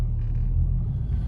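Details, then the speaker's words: 2003 Mini Cooper S 6-speed on a test drive after replacing both front CV axles (the driver's side had been noisy). Steady low road rumble with no clicking at all, nice and smooth; the axles sound healthy. "And see if I hear any, well, no clicking at all. Nice and smooth."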